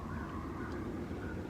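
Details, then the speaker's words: Toyota Camry 3.0L V6 needing a starter replacement: an even whirring with the engine not turning over. The starter armature seems to freewheel, apparently because the solenoid isn't throwing the drive out. "this this right here to me sounds like sounds like the armature spinning on the starter but it sounds like the it's too early for me no chingadera that's supposed to engage the starter is not working"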